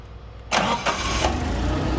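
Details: Caterpillar forklift with EMCO fuel system, cranked without opening the throttle, fuel left in regulator: brief crank, fires promptly and settles into a smooth even idle, about 5.8–6 in air valve vacuum; starts cleanly.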